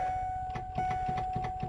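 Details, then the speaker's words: Ford van won't crank: steady chime with rapid clicks about five a second, solenoid clicks but engine never turns over; jumper across solenoid terminals tried, owner suspects starter or starter ground, possibly loose or corroded connection. "she don't want to crank over no more and um I I I can hear the Solen click so I know that's going back and forth but I'm wondering if I have a a starter issue or a ground on the starter issue"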